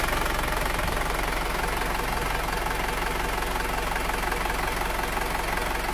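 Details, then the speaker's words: Isuzu Panther automatic diesel at 290,000 km, just rebuilt (piston rings, valve seals replaced; radiator serviced), cold idle right after first start: even ticking about three per second, no misses or uneven knocks. Healthy for a cold engine. "masa cuma pop kita cek ini mesin kondisi belum panas Masih dingin"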